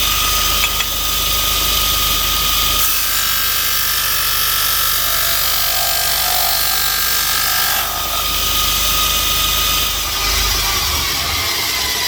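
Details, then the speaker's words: Bench grinder with newly fitted linisher attachment, disc sanding metal: steady high-pitched hiss and scrape over motor hum, even and consistent; sanding disc working normally. "Right, we've tested the disc. Really cool. Came out pretty good actually."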